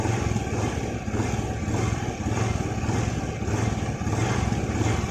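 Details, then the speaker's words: Honda Vario 110 FI scooter after replacing crankshaft bearings, light throttle: steady, even putter with the former whining sing gone; bottom end now healthy. "Ya, saya gas pelan kayak pas ngetes kemarin ya. Udah hilang ya suaranya di bagian sini."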